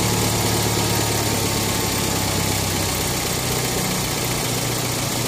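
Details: 2012 BMW X1 on every cold start: fast cold idle with an uneven, busy metallic rattle over the hum lasting about 40–50 seconds until idle rpm drops; engine rattle on cold start, cause unknown.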